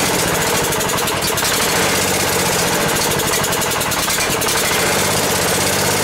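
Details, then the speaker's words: Ford garden tractor that had sat for a long time as a no-run: small engine runs loud, uneven and labouring as if about to stall; suspected fuel starvation, fuel line clipped off to check whether the bowl fills fast enough. "I want to see if the uh fle has any fuel on so I clipped it off right there and we'll see if it's just not filling up fast enough to keep it running or if we have another issue"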